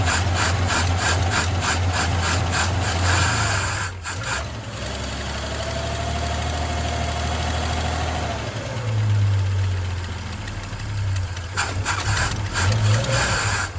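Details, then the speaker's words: Old Chevy straight-six truck with a 1-barrel carb that ran last week, fuel filter dry, fed from a 1-gallon can with gas poured down the carb: long cranking at 3–4 beats a second, a brief stumbling catch, more cranking; hard, cold-blooded start. "Yeah, this one's always been a little cold-blooded. But that's just how some of these old trucks are."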